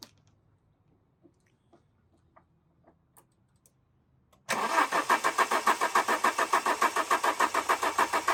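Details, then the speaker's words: Alfa Romeo 145 Cloverleaf after sitting 8 years, roughly 3/4 tank plus a jerry can of fuel: even starter cranking at about three and a half beats a second that never catches; fuel pump found not delivering, pump being removed. "So, a bit of an update. We found the fuel pipe. The fuel pump isn't fuel pumping."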